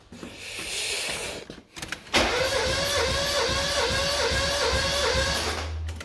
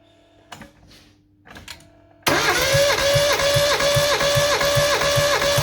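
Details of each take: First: Mazda 323F 1.5 after head gasket failure, with a second-hand head (valves lapped), new head gasket and bolts; compression test on cylinder 1 with plugs out. Steady cranking about four seconds with no firing, reads about 100: lowest but still compression. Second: Mazda 323F 1.5 after head gasket failure, with a second-hand head (valves lapped), new head gasket and bolts; compression test on cylinder 3 with plugs out. Starter whine dips evenly about 2.5 times a second, reading just past 150, better than the day before: strong compression.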